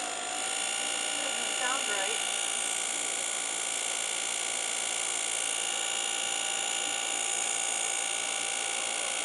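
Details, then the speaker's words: Turnigy Aerodrive 3542 800Kv brushless motor, new replacement unit: high rough whine with ringing tones over a gritty buzz at constant speed; owner suspects bad bearings. "I think it's got bad bearings in it. Not sure what the deal is, but I know it's not supposed to sound like that."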